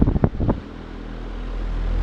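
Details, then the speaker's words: Patton high velocity air circulator fan after restoration, with the motor bearing boiled and the motor internals cleaned: a low steady airy rumble, only the whoosh of slightly unbalanced blades and no motor hum, much quieter than before. "like before you could actually hear the engine humming right like right now you can't hear it at all it's strictly the blades which are kind of unbalanced but they're not like that bad"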